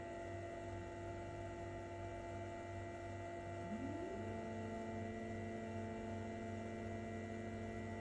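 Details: Brand-new Elegoo Mars 5 Ultra resin printer, bed lowering: over steady mains hum a brief rising chirp settles into a thin squeal; rubber-covered spring beside the linear rail compresses, shifts right and rubs the plastic wall.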